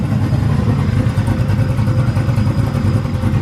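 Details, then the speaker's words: Ford Crown Victoria freshly built cammed V8, just started: deep, steady rumble with an even, slightly lumpy cam beat and no knocks or ticks; 90 psi oil pressure, sounds good. "Got oil pressure? 90 pounds. Hell yeah. Sounds good."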